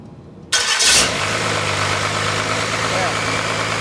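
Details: 1986 Ford truck with a swapped Cummins diesel: quick crank catches at once, then a steady, even diesel clatter at idle; starts and runs normally, and the fuel solenoid shuts it off when unplugged.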